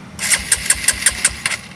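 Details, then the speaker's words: Honda CRF150 supermoto bored up to 200cc with a Juken 5 remap for idle and timing, in neutral. The starter turns it over in about seven even chugs, roughly five a second, but it never fires. No-start because the spark plug cap was left disconnected. "Oh, pala businya bro, jangan lupa bro."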